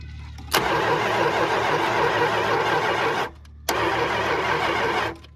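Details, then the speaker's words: Forgotten 1973 Plymouth Satellite: two long bursts of even starter cranking, about three and one and a half seconds, with gas poured down the intake and no firing; no spark, ignition module suspected of having gone bad. "it is not so we are not getting spark"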